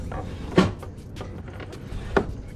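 Two solid clunks about a second and a half apart from the back as reverse engages; the gate shifts cleanly and works.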